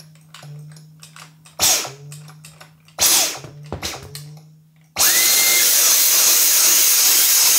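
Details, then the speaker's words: Dyson V10 cordless vacuum brought in for repair: motor surges in short irregular bursts from a choked intake as the clogged dust collector error appears; switched on normally, the load is normal, it settles into a steady roar and the error disappears. "appeared indicating that the dust collector is clogged ; turn it on normally; the load is normal and the error disappears;"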